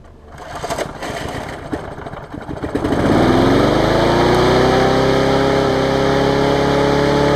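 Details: MTD basic mower repowered with a Briggs pressure-washer engine, cleaned, after a few primes: handling noise, then engine catches and settles into a steady, even run with no misses or knocks; starts and runs fine.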